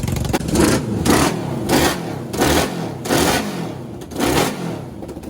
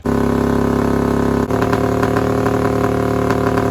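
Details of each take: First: Half-scale NASCAR kart four-cylinder with new custom aluminum intakes and carbs, throttle cable tension reduced: five quick blips rising and dropping cleanly, crisp even note, no stumble; running on all four cylinders. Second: Half-scale NASCAR kart with new custom aluminum intakes, fuel pump primed: loud, fast, steady idle that sharpens and pulses; responsive but high idle.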